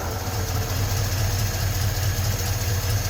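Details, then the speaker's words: 1956 Ford truck, 45,000 original miles, first run after sitting 40+ years, new rebuilt starter fitted: smooth, even low idle with no knocking or banging; normal idle, though battery light suggests not charging. "Pretty good. I don't hear any knocking or banging. Pretty good for having not run in 40 plus years."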